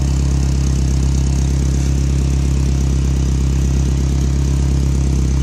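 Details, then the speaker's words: Toyota truck with the header exhaust-leak hole patched and wrapped: steady idle with a sharp puffing tick in time with the firing; the exhaust leak near the header is still heard. "well I can tell you something nothing sounds right it doesn't even look like steep anyhow I already hear an exhaust leak"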